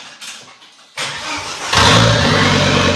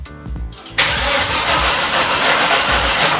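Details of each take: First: Volvo S60 T5 front half cut off as donor engine, no exhaust fitted: brief crank then catches cleanly into a loud raw idle; finally starts after removing the airbag control module. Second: Volvo S60 T5 front half cut off for an engine swap, wiring loom refitted, dash shows engine malfunction: strong, even cranking in two long bursts but it never catches; cranks, no start, fuel suspected (pump powered, a tank sensor destroyed).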